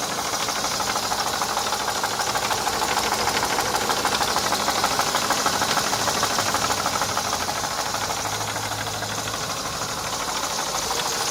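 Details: 1990 Mercedes W124 E230 with the M102 engine at idle: a regular light knock, about three per second, over a hissy top end; engine knock of unknown cause.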